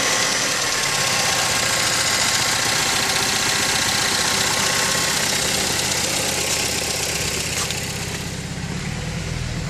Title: 2005 Mazda 3 rough idle, poor performance